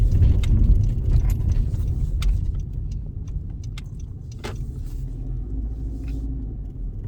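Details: 2013 Honda Civic (9th gen) ticking only when in drive: engine rumble at idle with a light, loosely regular tick, about two a second; some suggest an electrical issue, cause unknown.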